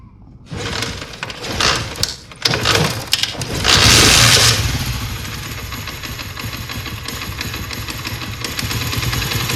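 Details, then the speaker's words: Honda CD70 motorcycle, tappets tight, filter fine, carburetor mixture left wrong by previous tuning so it drinks petrol: several uneven start attempts then a busy, slightly lumpy idle, before mixture screw adjustment; rich fuel mixture at idle. "Petrol पीने की वजह यह है कि इसने tuning करवाई है। तो इस कारपेटर की जो सेटिंग है उसी मैकेनिक ने नहीं सही की। तो इस वजह से वो पेट्रोल पी रही थी।"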